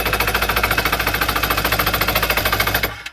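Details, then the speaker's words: Two-stroke jet ski/Sea-Doo primed with poured-in gas, firing on the first or second crank: sharp, rapid popping at about 3.5 beats per second, then it dies out. It ran briefly on the primed fuel before apparently running out. "and it fired on like the first or second crank of it actually cranking this thing is a freaking Ripper you guys I think it ran out of the gas I put in here"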